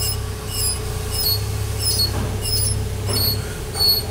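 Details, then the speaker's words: BMW front wheel squeal at very slow speed that stops when the brake is pressed: short high squeaks about every half second, from the anti-squeal shim rubbing the disc through slight wheel bearing play. "das bisschen Radlagerspiel reicht aus, dass der da schleift."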